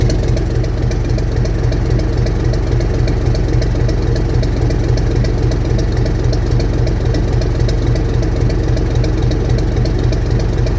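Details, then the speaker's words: 1965 Gardner 6LXB 180 marine diesel after rebuild following failure 80 hours after a previous overhaul, on test run with temporary cooling: even, steady thumping beat with no knock or miss; normal running. "Okay, so that's us done with the test run. It's now run for about 6 hours."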